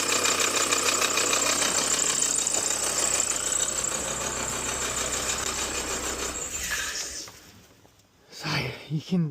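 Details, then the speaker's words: Nissan Juke A/C compressor seizing from oil starvation after earlier failure was left unrepaired: harsh rhythmic knocking about three per second with a shrill squeak over the engine at idle. "definitely hear that it's run like a tank in that big squeak as well."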